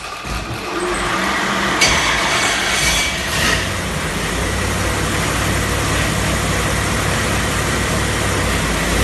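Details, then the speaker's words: 434ci Pontiac V8 on the dyno with a small cam (229 at .050, about 600 lift), ARP head studs, making 600 hp; deep steady roar under load with no knocks or misses, mild chop-chop idle at the end, healthy. "All right, so you could hear how not very radical engine at all. You can hear it idle at the end there, just kind of a chop chop idle. Fairly mild engine."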